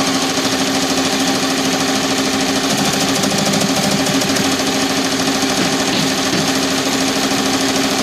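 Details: Tajima TFMX-C1501 machine running: fast uneven rattle about three beats per second over the steady hum; something loose in the mechanism, cause not yet found.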